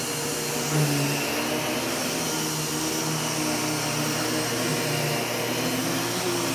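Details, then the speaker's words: U1 upright vacuum switched on with its separate power and brush roll switches: steady even motor whine over smooth brush-roll hum, no rattles or surging; normal running. "so we'll go ahead and turn this on and turn on the brush roller as well placing a brush roll switch and a power switch"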